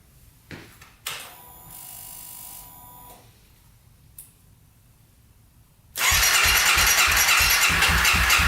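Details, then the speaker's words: 2014 Honda CRF250L cranked with a jumper pack on the battery, suspected too small. A few clicks and a whir, then steady loud cranking at about two beats a second with no firing. Won't start; aftermarket ignition switch. "no goo and we also tried to put some gas down the cylinder and still nothing"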